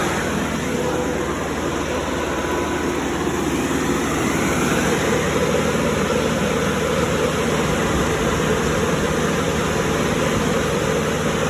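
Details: Cummins 3.3 QSB diesel from a stump grinder, started after rebuild with pistons, rings, rod and main bearings and head gasket (had oil from the blow-by tube), Insight connected: steady, even drone, no knocking or misses at idle. Normal idle.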